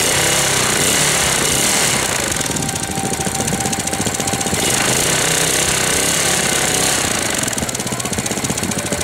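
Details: 1998 Briggs & Stratton 60 Intek Edge 6 hp, restarted after long storage, cold, air filter off, oil level fine: rapid clattering knock about four a second, swelling and easing with speed; owner fears seizure; abnormal knock, cause unknown.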